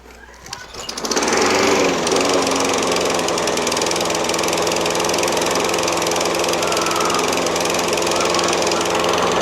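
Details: Toro Recycler self-propelled mower with a Kohler XT675 6.75 engine, started after sitting in the shed with a high oil level noted: it catches within a second and settles into an even, steady high-pitched drone; running normally.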